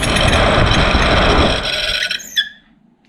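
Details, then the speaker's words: 2006 Vauxhall Corsa C 1.2 interior heater blower motor bench-tested on a 12 V battery: stiff and noisy, runs with harsh rough squeal and rumble from dry bearings, then winds down; oil to be added; fan only worked on speed 4. "stiff and horrible would it h going to try and put some oil in underneath there and see if we can get any better than that so maybe this is uh part of our issue"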